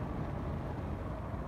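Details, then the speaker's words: HVAC air duct after replacing the damper motor that wasn't working: damper now open with motor power cut, producing a steady, even rush of air with low rumble and no rattles or flutter; normal duct airflow. "Y si está saliendo está saliendo muy bien el aire Probablemente lo escuchan"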